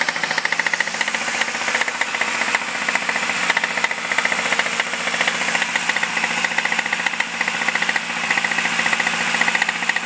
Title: 2005 MINI Cooper S making clacking/clicking noise